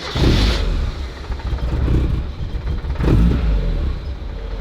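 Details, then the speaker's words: Roughly 30-year-old car started after a year unused, previously had a slight misfire cured by a full service: catches, revs twice, settles into a steady low idle with no knocks or misses; healthy start-up. "Oh, there we go. Steady now. That sounded good, man! It sounded good!"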